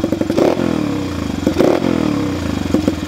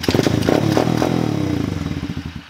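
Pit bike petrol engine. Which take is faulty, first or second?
second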